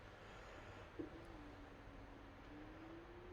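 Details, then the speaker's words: New Samsung washing machine on its roughly 3-minute empty calibration spin: faint, smooth motor hum rising slightly as the drum speeds up, no rumble or grinding, unlike the old Hotpoint with failed bearings heard next door. "the last one you could actually hear from next door so the neighbors will be thankful for this"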